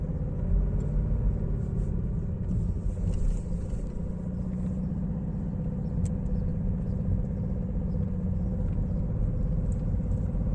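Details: BMW E90 318d with the 90 kW M47TU2 diesel at idle: a deep, regular knock as the bent (0.05 mm) or cracked crankshaft shifts at each cylinder 4 firing and the flywheel hits the gearbox input shaft. Past seizure from a blown turbo is suspected, and the fix is an engine swap.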